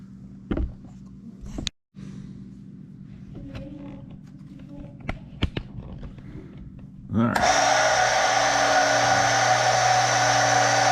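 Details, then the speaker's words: Stenner peroxide injection pump for well water running after replacing its leaking tube; handling clicks, then a loud, steady whir and hum that stays even, normal running noise for this pump. "I just want to point out that for whatever reason, it really is that loud. And thankfully it's in the basement and not, you know, right next to my pillow at night or whatever when the water goes off."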